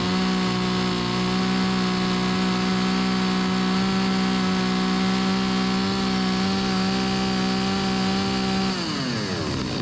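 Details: Stihl 025 chainsaw after carburetor replacement to fix hot no-start and flooding; strong steady high-revving buzz at constant pitch, dropping cleanly on throttle release; runs and cuts well, chain dull, normal running.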